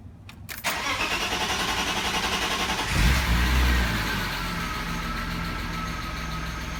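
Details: Manual-swapped E36 BMW (auto-to-manual conversion) at its second start attempt, three weeks after the first: short crank, catches cleanly, flares once, then settles into a steady, even idle with no knocks or misses; healthy.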